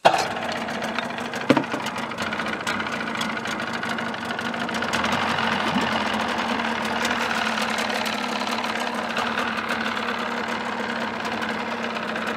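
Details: 1979 Evinrude 35hp outboard in a test barrel, cover on: steady, even buzz with no knocks or misfires. Normal running.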